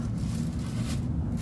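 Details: Carrier ductable AC unit blower, heard standing up near the unit after fastening screws on the loose blower cover: steady low rumble with some rattle remaining; noise much reduced but not fully gone, remaining screws still to fit.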